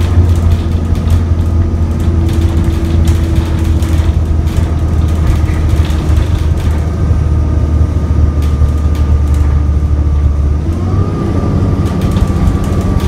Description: Here we have one of Croydon’s E400s which seems to be stuck in limp mode, meaning it went like a slug on the roads. Obviously wasn’t the fastest run in the world but who doesn’t love some good revs?